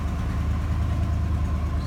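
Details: GMC/Chevy pickup with a faulty ignition key switch that needs a tap to work: after starting, steady even low rumble with no knocks, misses or hunting; normal idle.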